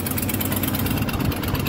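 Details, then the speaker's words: 1993 Ford F250 302 5.0 V8, after replacing cut-up vacuum harness and throttle mix screw: steady even idle rumble with no stumble or hunting; running much better, probably helped by no longer having massive vacuum leaks. "Running pretty good. So this is a much better start than we've ever had out of this thing."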